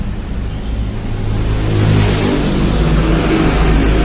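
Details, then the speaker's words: Carbureted Honda Beat scooter pushed in running but not moving; CVT drive belt snapped and shredded, lodged in the clutch. Engine revs freely with a loose, hollow tok-tok tapping because there is no load at all; engine running unloaded from broken CVT belt. "bunyi tok tok tok itu karena ini udah nggak ada beban sama sekali kawan ya Itu bunyi kalau kayak gitu"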